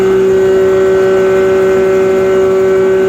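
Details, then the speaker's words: Restored John Deere 6A hammer mill, new bearings, converted to single-phase electric drive (no longer PTO or flat belt): loud, perfectly steady hum, constant tone, no knocks or rattles; normal running. "It's a John Deere 6A hammer mill. It's been converted to single phase. It's no longer PTO driven or flat belt driven."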